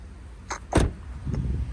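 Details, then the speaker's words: Car with no spark despite new plugs, a suspected stretched timing chain and a suspected alternator: while cranking, one sharp deep thump as gasoline blows up in the downpipe. It is a backfire. "That's the backfiring effect that it does. Yeah, that was gasoline literally blown up in the downpipe."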